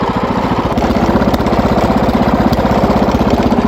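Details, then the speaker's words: Wheel Horse single-cylinder tractor engine during trail work; uneven lumpy chug about four pulses a second, something off in firing; owner suspects ignition points gap getting smaller and needing adjustment, unconfirmed. "that part yeah you can tell something's off"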